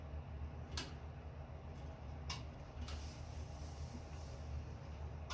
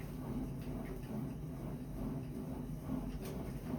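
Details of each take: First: Sunny Cardio Climber SF-E3911 stair climber pedaled under body weight: sharp, sparse clicks over a low rumble, heard only when weight is on the pin, not when spun freely; clicking traced to dry roller rails. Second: Sunny SF-E3911 cardio stair climber after reassembly and spraying lubricant on the metal rails the foot-pad rollers run on: low, even rumble with no clicking from the rollers, quiet smooth operation.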